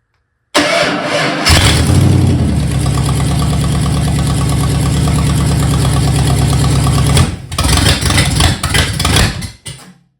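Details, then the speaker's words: Freshly built budget Ford 302 V8 on a temporary carb, fuel line and starter hookup, after setting timing and idle: quick crank, fires at once, smooth even idle with 60 psi oil pressure, no ticks or knocks; normal start and idle. "don't have enough gas in there to give it any, but it had 60 pounds of pressure. Okay, the engine runs."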